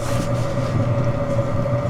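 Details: Chinese diesel heater lit after a slow start at altitude in Rocky Mountain National Park; steady drone with constant mid-pitched fan tone, even and unbroken; normal running.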